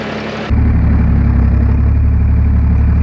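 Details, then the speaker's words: John Deere 350B crawler dozer diesel, cold start after 2 days sitting, no starting fluid: catches abruptly and settles into a deep even rumble about four beats a second; clean, steady idle. "And it worked. It runs. It actually sounds real good now."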